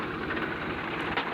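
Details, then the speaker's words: Swaraj 735 tractor after pinion bearing replacement for loud rear-wheel noise, oil loss and failing brakes: steady low engine chug with even rhythm and no grinding or whine from the rear end; the axle now runs quietly. "कि अभी हमने इसका start किया तो अभी यह अच्छी dress पर चल रहा है"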